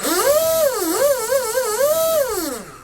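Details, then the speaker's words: Proboat SonicWake V2 RC boat with 160A Firma ESC, twin 6500 4S packs and TFL 4614 prop, run on its freshly greased flex cable: clean motor whine sweeping up and down with throttle, no rattle or grinding. Normal. "so cable actually sounds good we just greased it up and everything actually sounds pretty"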